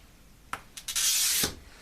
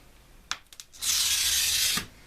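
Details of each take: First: Glass cutter scoring glass, one of an old box of cutters being judged by sound: a few light scratches, then an even, smooth half-second hiss with no chatter or notching, indicating a good cutter wheel. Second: Glass cutter scoring glass, from an old box of cutters judged by sound: about a second of louder, harsh, scratchy hiss with audible notching, indicating a worn cutter wheel.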